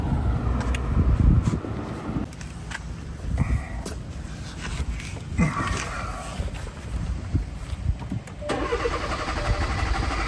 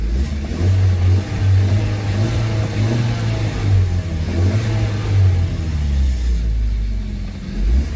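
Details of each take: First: 2017 Hyundai Tucson 1.6L turbo, first start attempt right after replacing the fuel sending unit and reconnecting depressurized fuel lines: engine cranks in uneven bursts with a low rumble, never settling into a run; hard start, cause not yet found. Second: 2017 Hyundai Tucson 1.6L turbo after replacing a cracked, leaking fuel sending unit: deep steady engine rumble with smooth rises in revs, no knocks, misses or whine; engine runs healthy.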